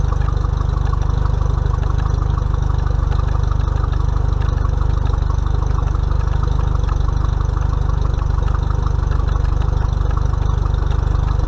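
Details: Mercury 50 hp four-stroke outboard on a 2020 Bass Tracker, first break-in service, run under a minute to circulate oil before checking level: low steady idle with even pulse about two beats per second; runs smoothly, healthy.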